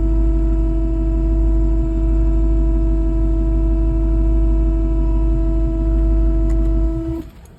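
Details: 2017 Dodge Charger SRT Hellcat: loud steady mid-pitched drone with buzzy edge for seven seconds, then cuts off abruptly; source undiagnosed, loud droning noise.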